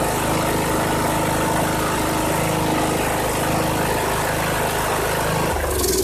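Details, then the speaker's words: 2014 Troy-Bilt Bronco mower, Kohler 17 HP Command, new carburetor fitted, choke held by hand: engine runs smooth and even at steady speed, no misses or surging; healthy, throttle cable still to adjust. "Awesome. Wow, that engine sounds good. I just have to get that throttle cable adjusted. Crank's good though."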